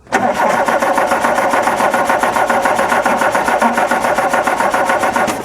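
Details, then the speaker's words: Classic Scirocco that sat for a year: steady starter cranking at just under two beats a second with no firing. The fuel pump is weak, and the cracked fuel line is drawing air, starving the engine of fuel. "We have a problem with fuel delivery then. The pump seems like it's kind of trying. It's just not overly enthusiastic about it."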